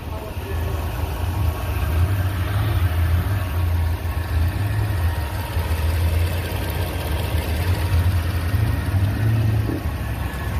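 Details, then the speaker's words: 2006 Range Rover Sport 4.2L supercharged Overfinch, first startup after AMSOIL engine flush and 8-quart 5W-30 Signature Series oil change: smooth steady low idle hum, no knocks or misses; healthy idle. "so we got eight quarts in there we're gonna go ahead and check our oil level in a second but I want you to hear what she sounds like after"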